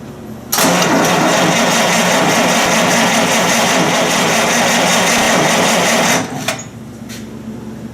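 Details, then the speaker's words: Buick Roadmaster engine, compression test with oil squirted into one cylinder. The cylinders read an equal 90, and a low-compression spacer is possible. About six seconds of steady, even cranking, with the reading unchanged from before. The piston rings seal equally, with no leak. "is exactly as it did before which is actually a really good sign that means your pistons are sealing equally and that it's the same everywhere"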